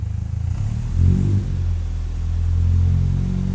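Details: 1959 Triumph TR3A during a pre-purchase inspection, idling around 600 rpm then revved briefly: a deep even idle swells smoothly in a short blip and settles back cleanly, no knock or miss, with good oil pressure. Healthy free rev.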